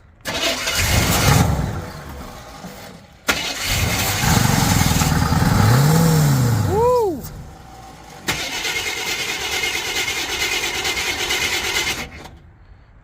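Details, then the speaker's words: Old Chevy pickup plow truck, first start in years, after ether fire, on left fuel tank with electric pump running: catches and runs a few seconds, then dies; starts then stalls, owner suspects fuel delivery or spark cutting out. "but she is running on her own fuel runs and then quits so might still be right hm that just shut off"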